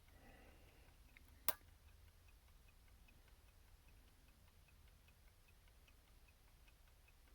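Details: Repaired approx. 1971-1974 Cadillac electric clock, opened, cleaned with solvent, coils checked and powered on the bench with solenoid rewind: faint, evenly spaced tick about once a second, no catches or stalls, running properly.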